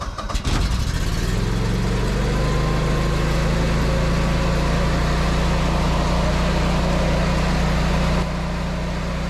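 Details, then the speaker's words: Generac 24 kW standby generator just after the grid went down, with transfer switches powering both house and shop: steady, even engine drone with a firm low hum, no knocks or misses; carrying the load smoothly. "all right so the grid just went down and it's going to get loud"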